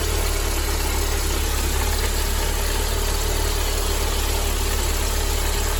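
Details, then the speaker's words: Mercedes-Benz W201 190E 2.0 (M102) idling with low steady rumbling (goro-goro) from a worn-out belt tensioner; tensioner, damper, adjuster and belt replaced, noise gone. "ゴロゴロとした異音が聞こえたと思います。"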